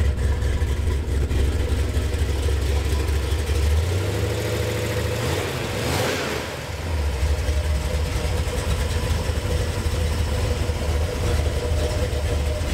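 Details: Gen VI L29 454 big-block V8 running on an engine stand, factory ZZ502 hydraulic roller cam on 110 LSA, runs about 180 degrees: deep lumpy idle with even lope and clean rev, healthy and running nicely.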